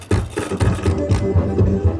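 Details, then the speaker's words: Sakura AV-5023 amplifier before repair, relay sparking in step with the sound: harsh, crackly music at a choppy, uneven level. "At kung papansinin natin, basag yung tunog nitong amplifier."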